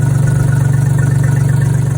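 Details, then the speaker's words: 2009 Skoda Fabia 1.2 three-cylinder BBM, first start after overhaul (new head, oversize pistons, bored block, new bearings, oil pump, timing): steady, even idle with deep rumble because the exhaust isn't yet attached; runs smoothly. "Вот сейчас выхлоп вообще не прикручен, поэтому бурчит. А так работает ровно, обгорает. Это вот первый запуск."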